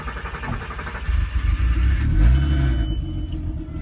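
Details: VW R32 that would not start, running after fuel injector and fuel pump work (relays later suspected as the culprit): engine catches after a second and settles into a steady, even low rumble with no misses or knocks; normal running.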